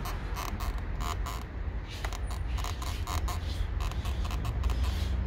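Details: 2021 DS 7 Crossback driver's door mirror: repeated short irregular creaks over low road rumble while driving over asphalt joints; loud creak also when driver's door opens or closes, cause unclear.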